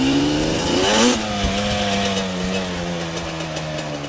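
Small engine blipped, then settling to a steady drone with a faint irregular clatter on top; some odd noise, cause unclear.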